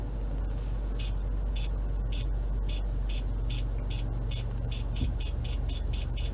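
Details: Newly installed cheap eBay backup parking sensors tested while reversing toward a wall: high chirps start about twice a second and quicken to about four a second as the wall nears; sensors work properly.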